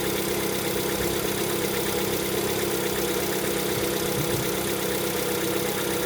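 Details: Lada Vesta, 11,000 km, cold engine: idle carrying a light, fairly quick ticking knock about two per second over the engine hum; owner attributes it to piston knock on cold start.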